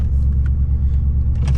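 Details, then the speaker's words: 1994 Chevrolet Corvette C4 LT1 V8 after replacing oxygen sensors, chasing a miss/hesitation, previously dying once warm: low lumpy idle with stumbles, still missing; O2 sensors didn't fix it, owner suspects bad Opti-Spark distributor. "So as you can hear, not idling the smoothest, so I don't think the oxygen sensors actually fixed my underlying issue."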